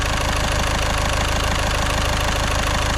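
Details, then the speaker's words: Caddy at 81,370 miles after repair work, run up to circulate coolant, no leaks: steady even idle about two pulses per second, no misses or knocks. Normal healthy idle. "That sounds lovely."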